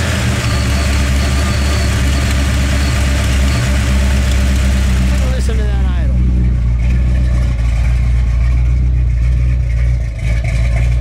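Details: 1969 Dodge Super Bee, 440 cu in V8, automatic, barn find revived after years in a field; deep steady V8 idle with even beat, no knocks or misses; healthy.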